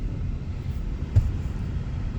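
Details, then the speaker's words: 2019 Chevy Colorado two-wheel drive, manual transmission, about 100,000 miles: low, even road rumble, engine pulling smoothly with no knocks, whines or clunks; some water sloshing in a door; normal, smooth drivetrain. "I mean, this is a really, really nice driver. Super duper smooth. Nothing that you can hear that's going to cause any kind of problems."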